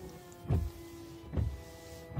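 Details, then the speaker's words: Dodge Ram windshield washer pump after cleaning its clogged screen, which caused a weak spray: three short strong pump buzzes with steady hum; spray now reaches about 3/4 up the windshield, normal operation. "we go much better a lot better actually makes it probably 3/4 the way up the windshield now whereas before it was it was falling short of the windshield wipers pretty much"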